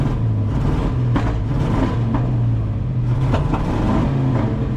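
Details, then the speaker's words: 1996 Ford F350 dually, 460 big block, sat for years, revved after fuel filter replacement: rough revving with irregular pops and crackles through the rise and fall, more popping than usual; probably not just a fuel filter issue, fuel pump next. "Yeah, usually it does popping, but it's never that much."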